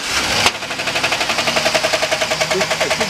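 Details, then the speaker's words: 2011 Chevy Silverado engine right after startup. A loud, regular, harsh metallic knock at about six times a second, so the engine was quickly shut off. Loud knocking on startup, cause undetermined. "so we got a little bit of a problem here on this 2011 Chevy Silverado."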